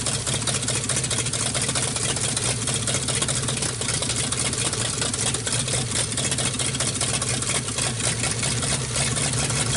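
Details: 1948 Nash engine, bored 60 over, first start after head work. It runs rough with an uneven, stumbling beat and a lot of hiss, loading up with fuel. Owner says it floods out; a carburetor kit is planned.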